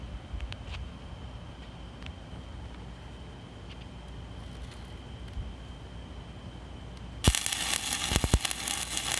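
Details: Stick welding powered by three car batteries in series, about 36 V, with a 7018 rod: a quiet start, then a sudden loud, even crackle and sizzle that holds steady; a stable arc laying a good bead.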